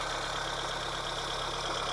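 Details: 1980 Honda Civic being got running again, fitted with a new ignition coil: a steady, even idle with a constant low hum and no knock or stumble; the engine settles and runs smoothly, a normal idle.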